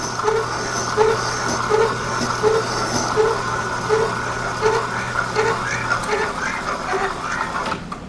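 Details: Boring head in a mill counterboring an Armstrong No. 41 planer/shaper tool holder, with the knee raised slowly by hand. Light rhythmic chirps a little over once a second ride over the motor hum: boring tool chatter, hence the slow feed.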